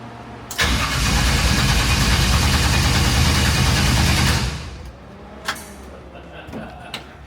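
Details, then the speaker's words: Crank-no-start on a '54 Chevy with Holley fuel injection after engine-bay rewiring: four seconds of fast, even cranking, about four beats a second, with no firing; the distributor turned out to be unplugged. "so I think Carter figured it out our distributor was unplugged so we're going to go try this again and cycle and"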